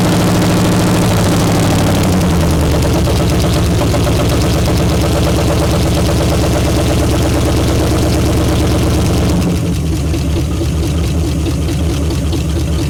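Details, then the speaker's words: 1955 Pontiac that sat since about 2000, first start before a carburetor rebuild: it catches and runs loud, rough and lumpy, steadying slightly. The carb is flooding; the engine's health is not yet judged. "we're going to try and run it anyway just to see if the engine sounds good and healthy"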